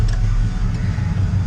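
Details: 1968 GMC V8 at hot idle in gear after installing an oil cooler for high oil temps (header near filter); oil pressure now just under 30 psi, light off, previously ~15 psi. Smooth steady idle, no tapping or misses; normal.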